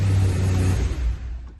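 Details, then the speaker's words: BMW E92 M3 S65 V8 started after starter motor replacement: several clean throttle blips that rise and fall smoothly with no stumble, misfire or starter whine; healthy normal throttle blip. "three, one for luck, and one cuz it's Friday. Very nice. I'm happy."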